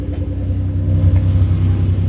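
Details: Toyota 5VZ 3.4 idling around 1200–1300 rpm after reworking a throttle body with play, down from 1800–2000 rpm: steady, even rumble still above normal idle; high idle from worn throttle body.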